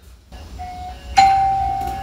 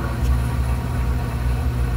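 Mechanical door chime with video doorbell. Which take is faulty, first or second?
second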